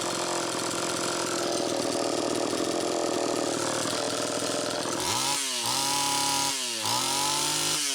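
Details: Homelite Super EZ chainsaw after crank seal replacement: a steady high scream with the idle speed screw far out, then revs sag and surge off throttle. It runs lean from an intake air leak, with a bad gasket or crack at the intake adapter/reed valve suspected.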